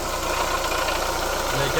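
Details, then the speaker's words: Chevrolet Lacetti idling before repair: fast, light, even ticking over a steady growling idle, keeping time with engine speed; water pump diagnosed and replaced. Worn water pump bearing. "Mashinada g'orillab, xullas, yoqimsiz ovoz chiqib qolgan. Diagnostikamizni qildik. Xudo xolasa pompa diagnostikasida turibmiz."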